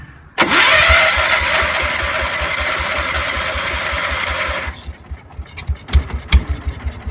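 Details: 1968 John Deere 140 H3 tractor, unrun 20+ years, after carburetor opened and checked (float working): starts after short crank, steady even single-cylinder putter, a little smoky; runs pretty good.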